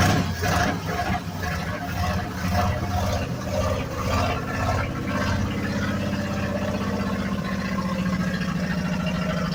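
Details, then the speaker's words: 1965 Ford F-250 pickup sat five years, carb with manual choke, fed from a gas can: steady starter churning about two beats a second drags on until the engine catches and runs unevenly; extended cranking, carb issues suspected. "okay hold there carb issues have been sitting [ __ ] many years as you expect right"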